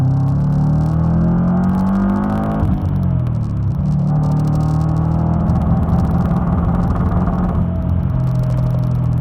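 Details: Supercharged Subaru SOHC EJ25 flat-four bogging and stumbling under boost, running rough; suspected belt slip or misfire, but cause was excess water-methanol injection, fixed by fitting a smaller meth nozzle.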